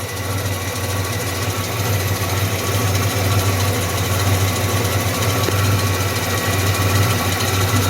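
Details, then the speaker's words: 1985 Pontiac Firebird at idle: steady idle with a loose sewing-machine-like clatter about three times a second; owner unsure of the source, suspects the alternator but not its bearing, and says it sounds like it comes from down low. "I'm not sure what that sound is think it's still the alternator it's making I think the it shouldn't be the bearing cuzz I I don't [ __ ] know it sounds like it's coming from down"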